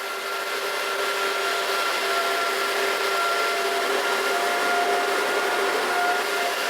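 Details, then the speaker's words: Antminer ASIC miner at startup. A loud, steady fan roar with a constant whistle and no surging or rattle; this is the normal, very noisy cooling fan. "you see now it's very noisy so don't plan to have any of these in your living room or anything like that otherwise you are not going to be happy"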